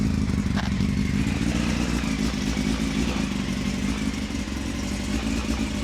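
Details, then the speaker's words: Honda CBR600 F3 at idle, no noise suppression: busy, uneven idle with light ticking mixed into engine clatter from the exhaust needing tightening; exhaust leak ticking to be fixed. "The exhaust needs tightening up, so there's a little bit of ticking or tapping there, which will be sorted."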